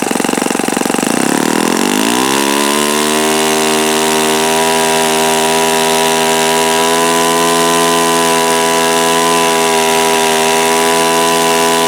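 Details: Repaired OS FS-48 Surpass (blown-out crankcase repaired) on stand, checked for bad bearings and peak RPM: revs climb quickly, then hold a clean, steady high buzz with no rumble or grind; nothing sounded like bad bearings. Normal running.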